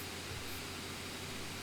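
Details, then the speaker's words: Lenovo C940 laptop while gaming, game audio muted: steady, loud rushing hiss with a low hum and a whine, no variation; cooling fans running flat out under heavy load, temperatures much higher, noise very distracting. "And I'll be quiet for the remainder of this for a moment now that I've muted it, and you can hear the whine and the fan noise. So that noise is very distracting."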